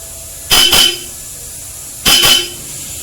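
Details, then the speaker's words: Ford EcoSport with a Bosch Europa aftermarket horn wired alone, stock horn disconnected: two short, loud, clear honks about a second and a half apart, each a steady high tone. The horn works normally. "Alright, so this is the Bosch Europa only. Alright, so this is how it sounds like."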